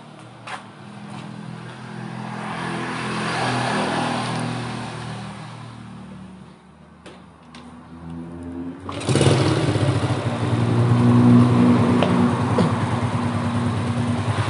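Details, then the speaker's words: Rebuilt motorcycle engine after head modification, valve clearance adjustment and carburettor cleaning and setup: starts after brief cranking and settles into a smooth, even idle with no knocks or misses. "Nih guys, bisa kalian dengar sendiri ya, suara mesinnya halus. Nih. Nah jadi ini udah pasti enak ya guys."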